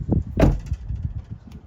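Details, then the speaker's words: Outside a 2024 Toyota Tacoma TRD Off-Road (4th gen), a solid door thud is followed by light loose rattles dying out through the rear; not heard inside the cab. License plate is secured; owner unsure whether the bed is the source. Body rattle after door shuts. "there's rattles on the outside of this truck you can't hear it on the inside but if you're on the outside and you shut a door you can hear something rattle throughout the back"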